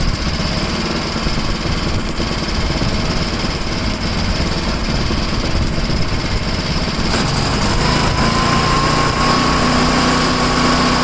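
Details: Tecumseh-engined snow blower started after sitting 10 months, choke on and throttle up, fitted with a new adjustable-mixture carburetor left unadjusted. It holds a steady, even chatter rising slightly toward high speed. Smooth, healthy running.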